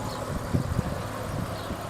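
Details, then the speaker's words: 4-litre Barra six-cylinder petrol in a written-off Ford Falcon FGX, idling smoothly and evenly with a steady low rumble and some wind noise. Running like a clock, though a slight exhaust leak underneath is noted. "This engine is running like a clock."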